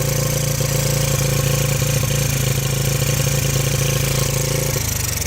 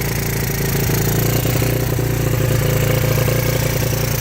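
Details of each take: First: 1985 Yamaha Moto 4 80cc ATV on fresh fuel with the fuel valve shut off: an even single-cylinder putter at about four beats a second holds steady, then dies away as it runs out of fuel; healthy, well-set idle. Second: 1985 Yamaha Moto 4 80cc ATV on fresh fuel, with a possible exhaust leak: the small single keeps idling with an even, fast putter. The off switch has been bypassed, so the engine cannot be shut off.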